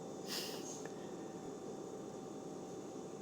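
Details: Closed Whirlpool refrigerator with bottom freezer drawers making a steady hum around 620 Hz and 800 Hz, seemingly from the lower door area; grandpa suspects the humidifier fan, owner doubts it; cause unknown.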